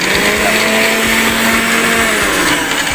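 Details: Sharp fruit and ice blender that would not start, running after its reset button on the bottom was pressed; a loud, steady high-speed whir with constant pitch and no stalling or grinding, so the motor runs normally.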